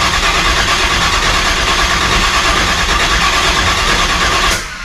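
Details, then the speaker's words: Car on blocks, cranked after showing 48 psi oil pressure with the battery on 11 V: steady fast cranking at about three beats a second that never catches before stopping; it cranks but won't start because no fuel is being pulled up yet. "So let's see if she's getting fuel yet. It's still sitting on the lift. No, it's sitting on blocks. No, this thing's not getting any fuel yet."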